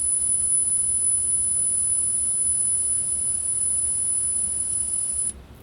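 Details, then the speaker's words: 1980s Yamaha KX-300U cassette deck after repair and cleaning, playing a recording made with Dolby C and MPX on cheap tape: thin high test tone over heavy constant hiss with warble; cheap tape the limiting factor. "And there's a ton of hiss there. And you can hear how it kind of warbles a"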